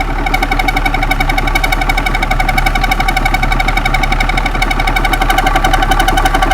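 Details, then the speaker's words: 6.2 GM V8 diesel run after sitting 15-20 years, started on 24 volts: even, steady diesel clatter about four beats a second with no misses or extra knocks; sounds healthy, needs oil change. "that sounds quite healthy it does it's a lot of talk there it's a lot of talk"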